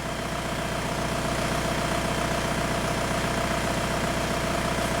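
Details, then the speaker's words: 2002 VW Beetle 1.9 L TDI ALH, with a shudder when slowing down, after injector quantity adaptation in VCDS: even diesel clatter at a steady idle, regular firing pulses with no shudder or misses; idling smoothly. "and notice we have a smooth-running engine now camera's not shaken"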